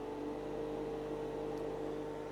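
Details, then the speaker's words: HVAC refrigerant recovery machine with an oilless compressor, pulling refrigerant from the system into a recovery tank: steady, even hum with a constant mid-pitched tone and no knocks or rattles; normal running. "So, inside the recovery machine, you have an oilless compressor. An oilless compressor. It It's basically the suction and the high side, the discharge. It's sucking refrigerant."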